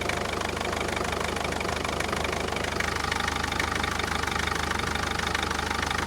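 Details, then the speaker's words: Mercedes Vito 638 2.2 CDI diesel, manual gearbox, cold unwarmed idle, engine mounts already replaced: steady uneven knocking about three beats per second with heavy engine shake; dual-mass flywheel/damper fault. "Давайте теперь посмотрим, как ведет себя двигатель. Слышите? Видите, как его трусит? То есть ходуном ходит весь двигатель."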